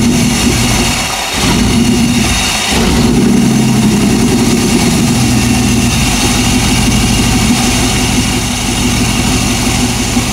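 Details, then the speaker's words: 1998 Chevy van 5.7 V8 after intake manifold removal, P0171/P0174 lean codes: uneven loping idle with speed dips; intake popping especially cold, worse at idle, better at high rpm; suspected intake vacuum leak. "такие симптомы как хлопки в коллекторе особенно на холодную и худшая работа на холостых оборотах и улучшение работы на больших оборотах я предположу парни что это подсос в коллектор"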